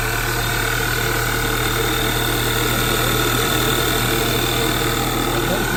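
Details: Audi A4 2.0 (2009–2017) just after alternator replacement with the negative battery cable reconnected: steady, even idle hum with no knocks, misses or squeals; running normally.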